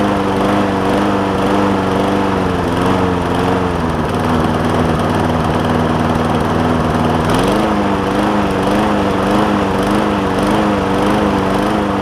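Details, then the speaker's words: John Deere JA60 push mower with a replacement tank, new fuel line and a carb hoped to be clean, at raised throttle: the pitch wanders, dropping then climbing again. Lean surging; debris is suspected in a carburettor jet. "And she's all over the place. Put an air filter on it."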